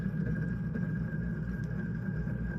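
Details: Early Hunter C17 antique ceiling fan motor, tested before restoration: dense, steady low rattle with faint high hum from a worn thrust bearing under downward load; the racket eases when the motor runs on its side.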